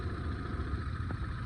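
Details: Hyundai Santro petrol engine after timing belt, tensioner, power steering and AC belts, and power steering pump bearing replacement: short steady idle with even low beat, no squeal or chirp from belts; normal idle.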